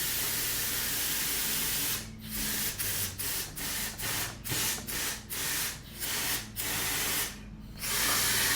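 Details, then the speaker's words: Foxbody Mustang sunroof drain tested with air: steady airy hiss and pulsed puffs as air passes through; all four drains clear, not plugged. "Again, don't know where it's coming from, but it sounds like it's moving air. So, I got sound out of all four of the holes. So, it looks like that they are not plugged up, which is excellent"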